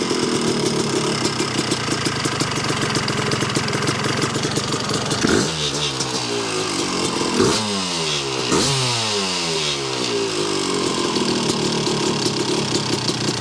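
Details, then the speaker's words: 1986 Yamaha YZ250 two-stroke, unrun since 2015, running on choke with a carb and throttle from a 1975 250B MX: crisp ringing idle with sharp revs climbing and dropping cleanly, instant pickup; strong, healthy engine. "This thing's freaking unbelievable. Holy cow. What an animal."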